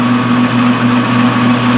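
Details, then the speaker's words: Lathe facing a roughly 7-inch flange, made from scrap, for a tire buffing machine wheel: a steady high singing tone and pulsing mid pitch over the lathe hum. This is chatter, because the large difference in diameter makes the right cutting speed hard to hold. "And the big problem I'm having, you can hear the harmonics and stuff, is because it's such a difference in diameter, it's hard to get the speed where it really needs to"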